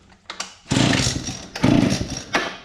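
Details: Victa Pro two-stroke leaf blower with rebuilt recoil starter, function test before fuelling: three sharp pulls, each a quick whirring rasp with clear compression chuffs; starter catches and spins the engine properly.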